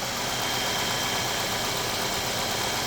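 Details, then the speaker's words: 2012 Mazda 3 just started, not yet up to temperature, during a check for a coolant leak (oil cap shows no froth): steady, even idle under a lot of hiss, with no knocks or misses. Normal idle. "so it is running it doesn't sound bad but"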